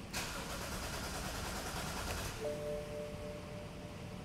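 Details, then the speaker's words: 2011 BMW 128i N52K with no DME communication: starter spins the engine with an uneven churn but it never catches; intermittent crank, no start, sometimes it won't crank at all. "i'm hitting the brake and holding the start button and it doesn't crank so that's kind of funny"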